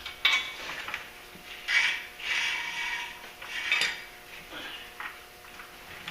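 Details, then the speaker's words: Ford Super Duty 4x4 after driver-side hub bearing replacement: bright metallic scraping swells about once a second as the wheel turns, the dust shield rubbing the brake rotor from a very close fit. "sometimes and I in here hear that dust shield smacking that tells me I may have done something wrong"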